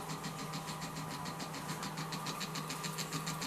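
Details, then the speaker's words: Early Leevers Rich Series C location reel-to-reel tape recorder on its transistorized power pack, rotary converter not working: steady low buzz with thin whine pulsing about three times a second; DC-DC converter struggling, suspected heavy drag on the circuit; no sound output or oscillator. "with the sound of the voltage DC to DC compared to office which were passive like struggling to get up to the right frequency i would say that it's possibility a heavy drag on the circuit"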